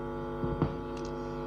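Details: Power amplifier with sound on one channel only: steady low mains hum with no signal on the dead channel; signal present at the input of the coupling capacitor but not its output, failed coupling capacitor.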